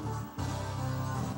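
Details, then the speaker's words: Tascam DA-302 dual DAT, deck two: music playback sags and drops out twice before recovering; the tape path is badly misaligned on the entrance side. "you can hear the sounds cutting in out on this"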